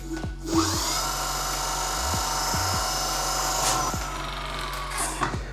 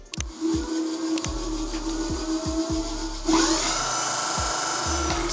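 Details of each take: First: Nanrobot D6+/D4+/LS7+ electric scooter, hydraulic disc brake after loosening caliper bolts, squeezing the lever and retightening: wheel spins with smooth motor hum, no scraping; caliper no longer rubbing the disc. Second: Nanrobot electric scooter (D6+, D4+ 3.0 or LS7+) with hydraulic Nutt disc brakes, wheel spinning: rhythmic scraping swish about twice a second with faint ring as the pads rub the disc; fixed by loosening the caliper's two 5 mm hex screws and realigning it.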